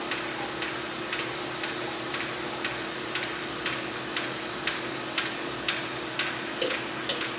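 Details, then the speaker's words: Neptune 500/560/600/6000 series hydraulic diaphragm metering pump with discharge closed off: sharp ticks about twice a second over steady hum as internal relief valve pops off at 200 psi, oil bypassing to gearbox. "hear that noise see the flow no more flow and the relief valve is popping off at 200 psi now what's happening is the oil that's pushing and pulling the diaphragm is now being pushed through a bypass back into the gearbox"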